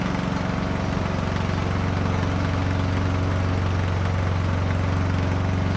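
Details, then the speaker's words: Poulan Pro 18.5 HP lawn tractor that died in use, after oil change and replacing a push rod: steady even idle thump about four beats a second, clean low hum, no knocks or misses; running healthy. "Works good."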